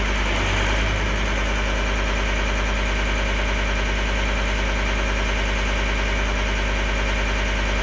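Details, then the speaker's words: 2012 John Deere 333D skid steer with reman long block diesel, first runs: steady even idle clatter, no misses or hunting, warming up; the owner suspects moisture in the reconnected sensor connections caused the earlier problem. "it seems a lot happier now I don't know maybe there was some moisture in those connections"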